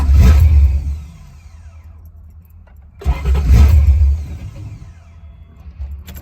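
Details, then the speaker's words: 1990 Ford Mustang GT Fox Body with built 306ci 5.0L V8 that suddenly died. Ignition is present, the TFI tested OK and it has fuel. The pump is heard running, but a failing pump or internal line is suspected. It starts and dies within a second, twice, before the in-tank fuel pump is replaced. "so we think the pump uh is running as you can hear it running but we think it's it's something's going bad or the line internally is messed up"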